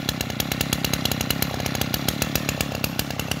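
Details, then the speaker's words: Kawasaki TA33 33cc two-stroke brushcutter engine with 37mm piston, held at revs: high, buzzy note with crisp, regular firing and no misses or sputter; revs up strongly, normal healthy revving. "Mấy bác nghe tiếng máy nó bốc cực kỳ luôn."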